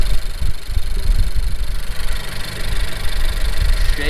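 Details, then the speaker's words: Honda Civic with rear motor mount idling lumpy and uneven with surging pulses, shaking harder than usual; misfire persists after new spark plugs, with fuel smell in oil and catch can full from blow-by. "well you probably can't see with the gopro but it's shaking hella so that's gonna be it for me"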